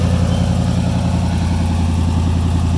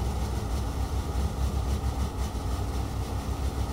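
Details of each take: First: Free car started on a new battery: steady, even low rumble with no knocks or misses, idling cleanly; runs good-ish. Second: Revived junkyard Chevy started with a booster pack: steady low rumble with busy clattery rattle, running rough; owner suspects timing, PCM, oil filter and fuel filter issues, unconfirmed.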